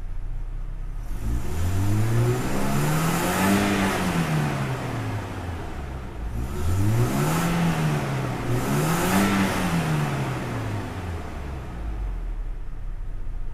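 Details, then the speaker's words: Toyota Innova that stumbled and would not rev past about 3,000 rpm now revs cleanly to 6,000 rpm after a used airflow sensor was swapped in: smooth blips rising and falling evenly with no hesitation. "dia kalau tadi 3.000 enggak mau dia langsung gitu kalau ini langsung mau dia"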